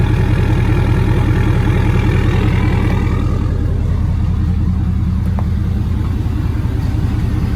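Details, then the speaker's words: 2017 Ford Powerstroke diesel idling after a fuel filter change and billet fuel drain install, working air out of the system: steady, even smooth low thrum with no misses, knocks or air stumbles; normal idle. "i'm gonna numbers gonna let mine idle for a little while and make sure all the air is worked out of it"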